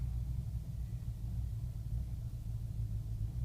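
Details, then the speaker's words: 2005 BMW 645Ci E63 with N62 engine, first cold start of the day in mid-70s weather, AC off, engine malfunction warning showing: deep lumpy idle surging and sagging, nearly stalling, heavy shake; rough idle. "but it's almost wanting to stall right now it's that pronounced okay real bad Shake again engine malfunction warning coming up"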